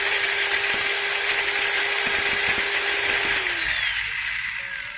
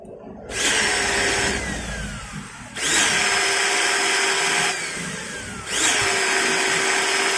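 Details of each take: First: Maktec MT90 grinder after replacing the pinion gear: high steady whine with faint light rattle from the gear head then clean spin-down; mild chatter typical of new gears, not slipping like worn ones, should smooth with use. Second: Maktec MT90 angle grinder, tested with its worn upper bevel gear removed: motor revs three times with a harsh, scratchy whine and altered vibration, like armature rubbing the stator, from a loose, worn armature bearing.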